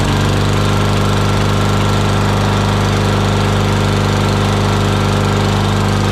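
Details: Murray lawn mower single-cylinder engine after carburetor cleaning of debris from dirty fuel: steady, even putter at high throttle, no misses or surging; runs smooth and healthy.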